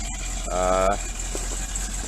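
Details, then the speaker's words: 1984 Dodge Ram D350 with 360 V8 and 4-speed, just started after sitting about 20 years in a barn, no smoke. Deep, even rumble holding a steady idle with no misses, ticks or knocks; smooth and healthy, "sounds like a beast." "sounds like a freaking beast. But smooth as could be. Like, thoroughly impressed and happy with this."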